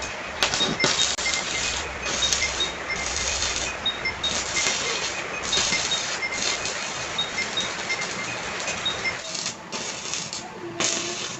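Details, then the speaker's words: PORTO 160A inverter MMA welder after repair of the soft-start circuit (PC and resistor replaced, switch replaced): steady crackling arc with short breaks, sustained without cutting out; welding normally again. "it's normal again, friends, let's make changes to these two components , so yeah the problem is in the soft start lock, friends"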